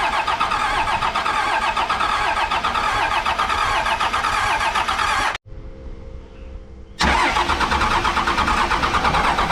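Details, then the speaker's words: 1998 Dodge Ram 2nd-gen Cummins diesel, first crank after fresh oil and filter, not expected to fire yet: long cranking, pause, more cranking without starting; fuel reaching cylinders three and four but not one. "I got fuel at three and four but not one"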